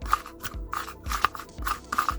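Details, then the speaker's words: Ford Fiesta Ghia Mk6, rusty strut top mount removed while hunting mystery rattle, turned by hand: scratchy gritty rasping with play; rough worn top mount bearing, to be replaced, suspected but unconfirmed rattle cause. "don't sound very healthy, so I think I'm going to change that anyway, and if that is our cause, then that will be absolutely great."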